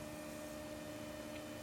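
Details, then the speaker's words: 2004 Microsoft Xbox (Kasumi Blue) after power supply swap, first boot without CD or hard drive: quiet steady high whine at one pitch over faint hum at power-on; source not pinned down. "Ooh, that whine."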